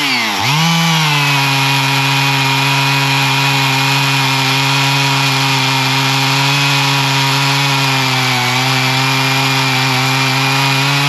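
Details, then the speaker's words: Older Husqvarna 55 Rancher chainsaw after tune-up (carb fixed, chain sharpened, new air filter and plug), cutting hickory: pitch sags as chain bites then holds strong and steady, good-sized chips not fine sawdust; normal running under load. "it's got some good looking chips it's not just a fine sawdust so that's a good piece of uh Hickory actually so that's uh cutting well"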